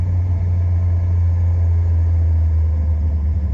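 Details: Fuel-injected Corvette after attempting a noisy-lifter fix, started in a home garage: a deep, steady low hum at idle with an even beat and no ticking on top. The valvetrain sounds quiet and healthy, normal idle.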